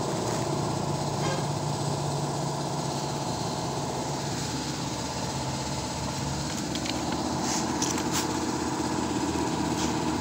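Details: XR200 motorcycle, said to be freshly overhauled, with cut stator wires and a replaced fuse, now started and idling: a steady, even single-cylinder putter with no misses or knocks. Normal idle, though the regulator later charged below 13–14 V.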